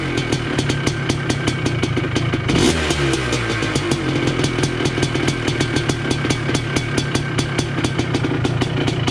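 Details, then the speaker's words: 1980 Honda CR250 Elsinore two-stroke, restored, first start in a decade, cold, carb not yet adjusted, unsure it will hold idle: crisp evenly spaced pops settling into steady idle, no knocks or rattles; running healthy. "She's alive. I don't know if it'll stay idling here. I haven't really played with the carb yet, but she's alive. My God, sounds good too."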